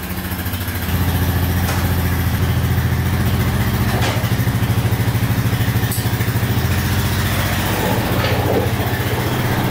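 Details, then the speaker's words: 1999 Honda Foreman 450 4x4 ATV with plow, sat about 10 years, after being fixed up, running on reserve fuel; steady, even single-cylinder thumping at idle with no misses, knocks or rattles; no smoke, normal idle. "all right running perfect no smoke out the back running great"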